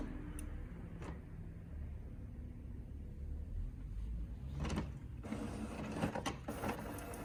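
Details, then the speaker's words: HP OfficeJet Pro 8100 running level 3 printhead cleaning (power held, X twice, paper three times) with button blinking; quiet whirring and soft irregular clicks of carriage and pump, a normal cleaning cycle. "You hear this sound. And the button will blink too. You must wait while head is cleaning."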